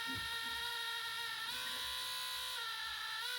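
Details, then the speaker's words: Compaq LTE Elite 4/75 laptop floppy drive with replaced belt, floppy inserted at DOS prompt: high thin whine stepping in pitch with no steady spin-up; drive motor straining, spindle not turning, belt seemingly burning. "Sounds like it's burning the belt. Okay, that was not a success."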